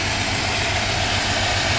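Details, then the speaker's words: GM 5.3L V8 with active fuel management (GMC Yukon/Chevy Tahoe), P0300, running with valve cover off: slightly uneven idle under top-end clatter; cylinder 7 rocker not moving, dead valve from collapsed AFM lifter. "we see that we have a dead valve it does not it is not rocking like it's supposed to so basically what we got here is a collapse lifter"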